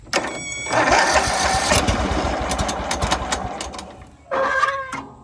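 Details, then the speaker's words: Recently bought Toro TimeCutter zero-turn mower that only clicked and wouldn't start; cause was blade engaged. With blade disengaged and seat switch triggered, engine catches right away, runs steady and even, then blips briefly. "And then and then I slowly realized if you got your If you got your blade engaged, it won't start. So that was the trick."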